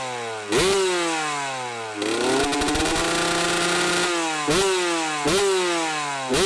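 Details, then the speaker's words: Kawasaki KX125 two-stroke dirt bike, first start after sitting too long (initially rough idle, run outside): crisp revs blip up and fall back to even buzzing idle, clean and responsive, no misfires; fired up surprisingly, sounded pretty good, normal running. "oh well she fired up surprisingly um sounded pretty good there were some things I was kind of trying to pay attention to there"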